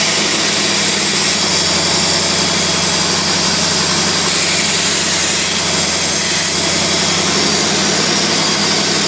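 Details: Carbureted engine, fuel pressure about 3–4 lb, vacuum port capped (reads zero vacuum for brake booster): steady, even idle with smooth hiss, no misses, knocks or hunting; running cleanly.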